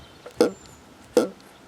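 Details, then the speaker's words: Saito FA-82a four-stroke model engine, not fully broken in, after a run: hand-flipped prop gives a short gulping burp past compression about every 0.75 s; cause unknown, does not seem to affect running, idles well. "I don't know what that is, but it doesn't seem to affect the way it runs."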